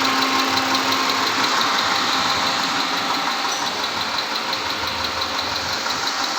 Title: 2010 MITSUBISHI PAJERO V6 Engine(6G74)/Engine Knocking Sound/Cause & Remedy(Part 1)